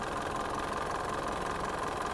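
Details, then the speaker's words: Warm Mitsubishi Montero 4D56 diesel idling during a blowby check: rough, uneven chuffing clatter with loud breathing, strong oil spray and pumping; mechanic blames worn piston rings and liners, says general overhaul is needed rather than the EGR cleaning first suspected. "hindi maganda yung tunog niya hindi ko gusto yung tunog niya para sa isang Montero na 4D 56 hindi dapat ganito ang tunog nung engine na to at dahil sa malakas ang talsik ng langis at Ayan medyo umuusok na siya yun ang delikado dito ah piston ring piston Liner ang problema nito"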